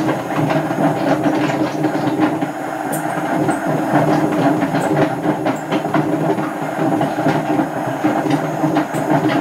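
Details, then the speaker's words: Hotpoint First Edition FEW12 washing machine left outside for months, fast spin: loud rumbling roar with rattling clatter throughout; drum bearings extremely worn. "I don't know if I've ever had one as bad as that"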